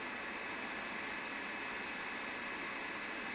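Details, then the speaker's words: New Creality K1C 3D printer on first print, one fan kicking in at full speed: steady even airy whoosh, loud but no ticking, rattle or pulsing; normal cooling fan noise. "hopefully this isn't too loud but that one fan is it this one this one Fan's pretty loud when it kicks in"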